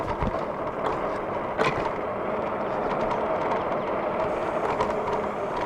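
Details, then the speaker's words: Fiido T1 Pro 750 W cargo e-bike riding over rough ground: sharp, irregular clacks and knocks above fat-tire noise; the battery rattles because it is not fully seated and just hangs, with no effect on power. "You also have these super fat tires, but I gotta tell you, already I can hear the battery rattling. Can you hear that? Yeah, the battery isn't fully seated."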